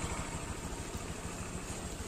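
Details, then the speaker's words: Honda Vario 150 (final edition) scooter idling smoothly after the rough "snoring" engine noise was fixed, with the radiator cover clipped back on; even, steady low thumps with no roughness, a normal healthy idle. "oke ini udah halus teman-teman bisa dengerin"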